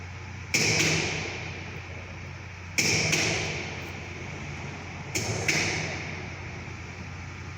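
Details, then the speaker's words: High-voltage lab sphere-to-sphere gap set to 10 mm, primary voltage slowly raised: sharp cracking snaps over mains hum as air gap breaks down, recorded at 0.25 kV. "Now we need to increase the voltage, primary voltage. You can hear the breakdown sound also."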